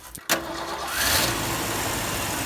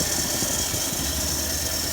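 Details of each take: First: Ford F-100: it ran perfectly when a part was first fitted and primed, then began idling rough. It catches, stalls and restarts, then the idle swells and sags unevenly every few seconds, with slow throttle response and a gas smell. Cause not confirmed. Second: Ford F-100 carbureted V8, warmed up, after carburetor idle-mixture screws were adjusted about an eighth turn with the air cleaner off: low, even, smooth idle rumble under some hiss, no stumbling or misfire, much smoother than before.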